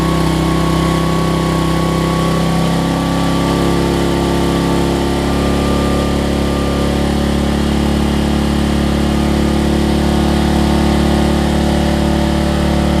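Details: Homelite LR4400 generator after carburetor and kill switch replacement: steady, even single-cylinder beat at constant speed with no misses, knocks or surging; runs really well, though the kill switch is not yet grounding it out.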